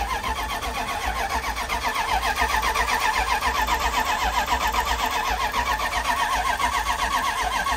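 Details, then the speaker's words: Dodge 1500 pickup, starting attempt: starter cranks steadily, about four compression beats a second, never catches or fires; slight fuel smell, ether considered. Cranks but won't start; cause not confirmed. "what's that like it's not even trying to turn over no to start i smell a bit of fuel though"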